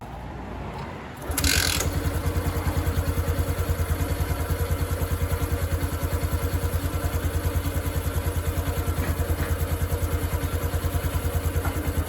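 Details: 2022 Honda Wave 110i that knocked when hot, after modifying the cam chain tensioner and bleeding its air until firm: the engine settles into an even steady idle with no rattle or ticking. Sounds normal after repair.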